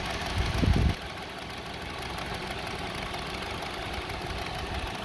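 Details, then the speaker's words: 2002 Honda CR-V 2.4 L, rough idle with RPM going up and down; with the unplugged sensor reconnected the engine shakes again: low, lumpy, unsteady idle, cause not yet found. "See now, engine is shaking."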